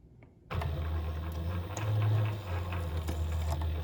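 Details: Sailrite Leatherwork sewing machine test-sewing vinyl after needle bar height adjustment; steady even motor hum with light needle ticks, no knocking or binding; sewing normally.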